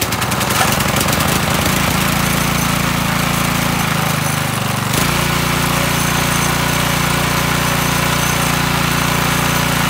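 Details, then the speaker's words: McLane 3.5 hp edger with Briggs & Stratton engine, sat for years, after carburetor tune-up and oil change: steady even single-cylinder idle with a brief lumpy patch, then settles; runs normally. "awesome so it runs um"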